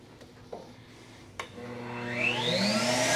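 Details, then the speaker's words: CECOR SD-15 Sump Shark coolant sump vacuum with a battery/inverter conversion, started on battery power (it can also plug into 120 V). Near silence, soft clicks, then a smooth whine climbing steadily as the vacuum motor spins up; running normally. "So you can use the battery or plug it into 120 volt. That's correct. Yeah. So right now we're on battery power."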